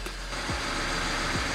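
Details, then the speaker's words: BMW 335i wagon, N54, idle after clearing codes: rough with brief dips and stumbles in the beat; cylinder one misfire, diagnosed as a bad injector to be replaced with a spare. "misfire cylinder one all right well i am confident to say that this car has got a bad injector"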